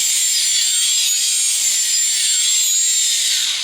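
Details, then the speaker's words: Small electric quadcopter motors on an H-frame with ESCs whine higher and lower as the frame is tilted; normal motor response to the APM flight controller correcting orientation. "means the motors are responding to the APM about orientation"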